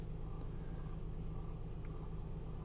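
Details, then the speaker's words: 2003 Honda Odyssey 3.5L, code P0305, check engine light on: quiet, deep idle with an uneven, lumpy throb and visible shaking; misfire from an ignition coil not firing. "so I'm going to start the engine the engine is definitely shaking"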